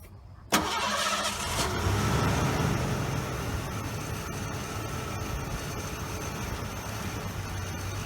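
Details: 1989 Lincoln Town Car after EGR valve replacement: the starter catches quickly and the engine flares, then settles into a smooth, even low idle with no knocks or misses; normal start and idle.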